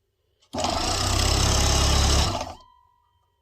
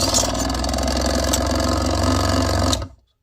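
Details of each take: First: Nice and smooth. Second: Proxxon mini scroll saw with added arm hinge, running with blade lifted clear: fast, choppy rattling stroke with an uneven beat; blade tension too tight, smoother after loosening.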